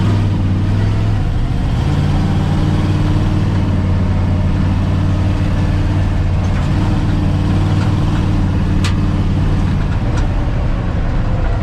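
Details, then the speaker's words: Rebuilt beater truck idling smoothly and steadily after an oil change and a radiator fill. The lifter tick present at first startup is gone after about half an hour of running. "It's run for about half an hour now, and no more lifter ticks. I think we're good to go."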